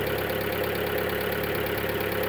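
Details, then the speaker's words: Skoda Octavia 1.4 just started after timing belt failure repair (bent valves replaced, head gasket renewed), engine cold; fast, even light ticking over a steady idle from hydraulic tappets, expected to fade as the engine runs. "Now you can hear some noise from the hydraulic tappets, but after the engine will work a while, it's going to lose that that sound."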